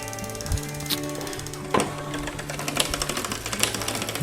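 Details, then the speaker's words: Canyon Grail CF SL road bike during a tune-up after a race crash, wheel spinning: sharp ticks about once a second over the drivetrain; popping, with the mechanic suspecting a bent rear derailleur, not confirmed. "okay so front is on why is that popping [Music] that's not good"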